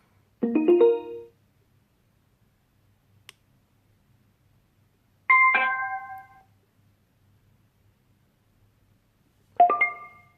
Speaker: Une dernière chose, le son que l'enceinte émet lors de l'allumage et de l'extinction est super fort. Et c'est tout sauf discret.